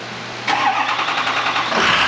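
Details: 6.0 diesel after its restart problem was traced to a single O-ring: brief crank, then it catches promptly and settles into a steady, even run; starts cleanly on its own again.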